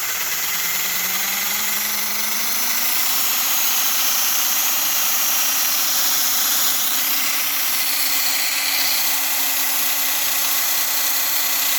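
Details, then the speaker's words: Model train fat-magnet motor on dyno at about three volts: high motor whine then constant rough buzz; steady vibration, owner suspects out-of-round or rubbing cams, plans spacing out the gear, unconfirmed. "three volts it'll turn on three volts but you hear the r r so there's an out of round or something's rubbing and I think it's the cams"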